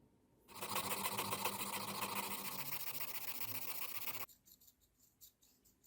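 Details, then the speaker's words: Moser hair clipper, uncleaned over seven years, after disassembly, cleaning and sanding the fixed and moving blades' contact faces: even buzz for about four seconds then off; earlier blade noise completely gone, no scraping, running smoothly. "خب همونطور که میبینید و میشنوید بعد از سنباده زدن صداش به کلی برطرف شد."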